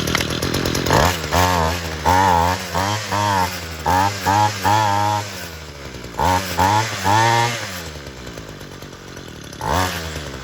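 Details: Homelite UT32650 string trimmer after a HIPA Walbro-style replacement carburetor, with no fuel leaks, started on full choke and primer then taken off choke: two-stroke buzz picks up cleanly on blips and settles back; runs normally.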